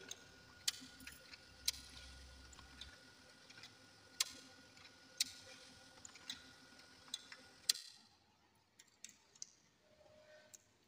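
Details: Laser printer (HP 2055/2035 or Canon 252/251 type) after repair: soft whir, faint steady tone and light scattered clicks, with no loud grinding. The previous loud noise came from a worn gear at the fuser.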